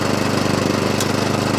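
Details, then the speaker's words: Atco Balmoral 20SK cylinder mower with Kawasaki engine, drive and cutting cylinder engaged together: engine pulsing evenly with steady reel whirr, no knocks or scraping; cylinder stops on its own when released, drive works independently; normal running. "Release it. See if it stops on its own. It does. And we drive independently. Yep. Drive and cylinder."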